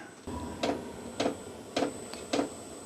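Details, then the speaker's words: A VEVOR diesel heater restarted after error 10 (check oil circuit blocked) makes steady, sharp dosing-pump ticks of roughly two a second over a quiet room as it tries to light; it then speeds up and the outlet warms to 17–20 degrees. "Sounds like it's trying to start. It's trying to start. You can hear it trying to start."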